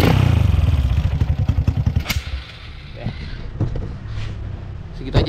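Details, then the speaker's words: Honda Supra X 125 bored up to 200cc with PWK 32 carburetor, tuned lean for daily riding: single-cylinder thump settles after a few blips into a soft, even putter with no stumble or hunting; normal idle, air and pilot jet set. "Nah ini gua udah dapat langsamnya udah dapat settingan angin udah dapatirnya dapat langsamnya enak nih"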